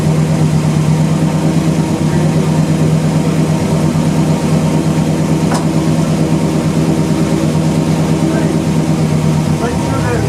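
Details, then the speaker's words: 1977 Chevrolet C10 V8, rebuilt engine, restarted after sitting about two years: deep, steady idle with an even low thrum and no knocks or misses, so it is idling normally. "How about it? It's running pretty good."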